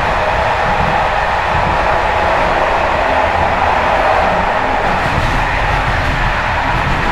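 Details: Bd264 481 coach (built 1979), Görlitz V bogies with many kilometres since last major maintenance, uneven line 190 between Hluboká nad Vltavou and Číčenice; loud constant roar with loose metallic chatter from bouncing brake rigging.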